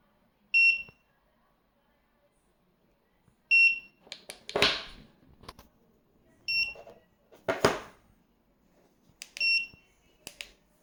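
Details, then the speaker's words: Ticktime device with short high double beeps repeating about every three seconds amid handling noise; it will not stop beeping, and only connecting the charger stops it. "What should I do? It cannot stop beeping. The only way I know how to stop it is to put the charger on."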